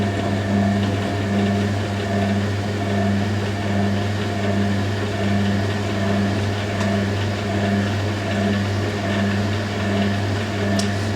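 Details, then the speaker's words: Hoover A3060 Electronic 1100 washing machine in distribution after a wash of vintage bedding and towels: steady motor hum with a rhythmic thump about 77 times a minute as the drum tumbles. The load is badly unbalanced. "that's really unbalanced though"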